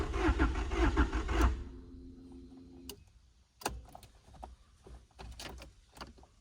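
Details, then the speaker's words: 1989 Honda Prelude, after fitting a used ECU: under two seconds of even cranking with no firing, then light clicks; the fuel pump is heard but the engine won't start, cause unknown, and the ignition switch is next to try. "At this point, guys, I don't know. New ECU, undid everything with this car. At this point, man, I don't know what's wrong with this car."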